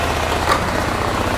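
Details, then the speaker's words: 2001 Honda Rincon ATV, sat over two years, idling on choke while warming up just after carburetor reinstalled (carb clean/rebuild); quick, even single-cylinder putter with no misses, knocks or hunting, sounds really good; normal idle. "let it idle here for a minute let it warm up sounds really really good"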